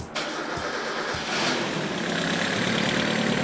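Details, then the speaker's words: Turbocharged Mazda Miata NA 1.6 after days of tuning: a few quick cranking pulses, then it catches and settles into a smooth, even, steady idle; a normal start, though an unidentified noise is mentioned. "like nothing idle great I don't know what that noise is it runs it runs somehow"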